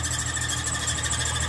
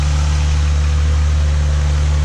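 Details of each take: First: 2005 Ford Mustang V6 at idle; steady high-pitched chirping squeal over a smooth idle, suspected belt or pulley, and the noise went away when water was sprayed on the belt, pointing to a worn serpentine belt needing replacement. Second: 2005 Ford Mustang V6 after serpentine belt replacement: smooth, even idle with a steady low hum. The earlier squeal from the belt is gone, with no chirp, so the engine runs clean.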